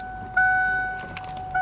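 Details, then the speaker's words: Truck with a new but 20-year-old, never-installed high-pressure fuel pump, heard with the key on: a steady high whine that starts, cuts out and returns. Fuel pressure was 15 psi at best, quickly dropping to 0, against a 35–45 psi spec; the pump is suspected, cause not confirmed. "I think it's a pump. Go ahead. I think it's the pump."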